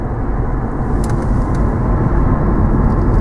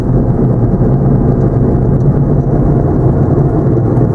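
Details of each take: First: 2008 Chevy Impala, 157,520 miles, after new front hubs and bearings, rotors and ceramic pads: only low, smooth road rumble while driving, no growl or rasp; front wheel bearings now quiet and healthy. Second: 2008 Chevy Impala, about 150,000 miles, with ABS and traction lights on: steady low droning growl under road noise while cruising, no knocking rhythm; worn left front wheel hub bearing.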